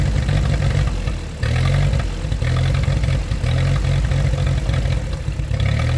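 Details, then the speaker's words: 1947 Ford 8N tractor, just started on jumper cable, out of gear: lumpy uneven low idle sagging and surging every second or so, nearly dying; rough idle. "I thought she was gonna shut up so I'm now adjusting the carb a little bit you're gonna hear in a few seconds that she does smooth out"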